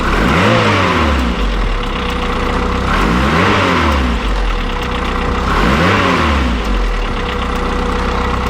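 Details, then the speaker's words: 500bhp classic Mini build engine, still cold, revving up and down: light quick tapping over the engine that seems to come from the bottom end, usually worse when warmer; cause not pinned down. "you hear that tapping noise [Music] there also it also sounds like it's coming from the bottom end"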